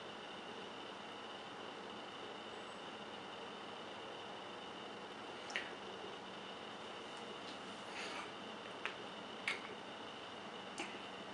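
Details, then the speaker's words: Quiet PC (Cooler Master HAF-X case, Noctua cooler, large fans) with a WD Caviar Black 500 GB hard drive, camera moved close: steady whirring hiss, faint high whine, scattered seek clicks, louder than fans; normal drive running noise. "I don't know if it's gonna pick up the noise as well, but I'm gonna shut up a bit and just let you hear it. In fact, I'm gonna bring the camera a bit in closer. Just you can, just leave a few seconds to have a hear. So this is the system running."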